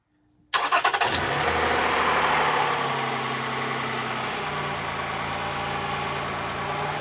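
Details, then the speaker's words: 2015 Toyota Sienna AWD 3.5 after replacing bank 2 sensor 2 downstream O2 sensor in repaired threads, sensor not yet connected, checking for exhaust leaks: quick clean start, smooth even idle; no exhaust leaks. "There's no exhaust leaks, and you're all good to go."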